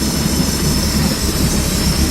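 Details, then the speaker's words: 2006 Bayliner 175 sterndrive, nearly new at 1.5 original hours, running on the lake: a steady, even drone with a deep low rumble and no knocks or misses. Not dead quiet like pricier boats, but normal. "So as you can see, the engine noise is kind of, I mean, it's you know, it's not dead quiet like some of the other more expensive boats."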